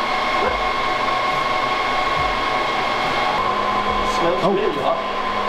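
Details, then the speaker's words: Server burn-in test with a powerful magnet brought close: steady fan roar, fans dropping out one by one then surging back hard; errors for fan redundancy and fan RPM, hot burning smell, and 3 of 4 cooling fans found stopped. "The server sounded really angry and smelled furiously hot. It was giving us errors about 'fan redundancy' and 'fan RPM'."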